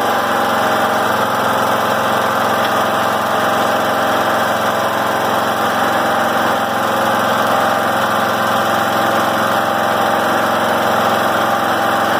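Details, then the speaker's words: John Deere L100 rider, after governor arm reset: steady even fast idle about 3100–3200 rpm, within 2800–3200 spec, rain hissing behind; governor holding speed properly. "so all right right around 3 100 3200 perfect should be between 2 800 3000 3200 at the very max so that is good"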